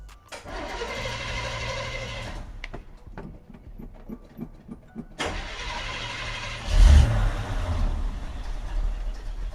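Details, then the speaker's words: 1975 Chevy C10 SWB, 350 small-block V8, sat long time, first start on temporary fuel line and funnel bypassing tank: cranks, catches, stumbles briefly, restarts and settles into low even idle, running like a sewing machine. "Motherfucker running like a sewing machine. I'm telling you."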